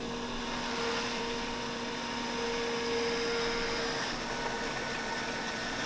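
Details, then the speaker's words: 2015 BMW M3 (F80) after an oil pan gasket replacement, running the coolant bleed: ignition on without starting, low beams on, heater at maximum, fan on lowest, accelerator held six seconds. Steady thin whine from the electric coolant pump: normal, pump working and bleeding. "then hit the accelerator for six seconds the coolant pump which is right there making a little whining noise we know that it is indeed working and bleeding the"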